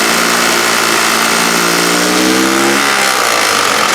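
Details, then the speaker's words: HondaX4 mower build engine with the muffler pipe, revving up to about 3,600 rpm in neutral: smooth, even rise in pitch with no knocks or misses. Healthy engine. "Oh, it sounds beautiful. Also nice and quiet though, right?"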